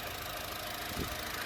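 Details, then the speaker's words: Used Honda Amaze petrol engine idling with hood open, no leaks: soft even idle with faint steady hum, no knocks or ticks; normal sound, no problems. "এইটো চাওক, petrol engine হয়, একদম normal sound, কোনো ধৰণৰ অসুবিধা নাই।"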